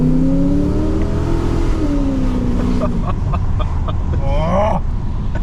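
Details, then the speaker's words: Holden Commodore VX SS V8 on first drive after full engine and transmission rebuild with big cam and new exhaust: deep V8 pulls cleanly at part throttle, nowhere near full, pitch rising smoothly with no miss, knock or rattle; healthy acceleration. "yeah that just rips and that wasn't even Full Throttle"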